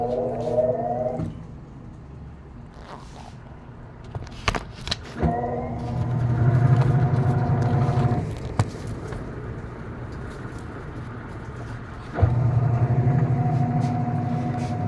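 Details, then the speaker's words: American Home automatic washing machine after controller board replacement for a no-power fault, spin-dry cycle: drain motor engages, then an even motor hum cycles on and off with no grinding, knocking or rattle. Normal spin. "so spin dry naman yan so spin dry start Ma babatak yung drain motor niya yun tumunog drain motor bumatak siya tos mamaya ikot siya ng spin"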